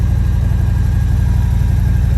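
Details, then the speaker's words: Damaged motorcycle at Copart auction, idling in neutral with clutch out: steady, even low thump with no misses, knocks or ticks; runs fairly decently, normal idle. "All right, clutch is out. She runs fairly decently too."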